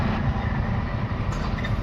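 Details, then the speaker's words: MG Hector diesel, towed in, fuel line disconnected to check delivery: steady low cranking rumble that never fires; engine turns but no diesel arrives, fuel supply fault. "मारिए cell. Engine घूम रहा है। लेकिन diesel नहीं आ रहा है।"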